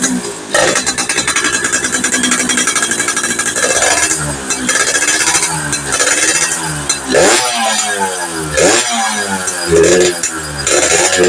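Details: Two-stroke motorcycle (FIZ R) revving in uneven bursts with sharp pops under throttle after swapping to a standard spark plug and trying the coil. Possible lower compression leak; pulser is the second suspect. Not yet fixed.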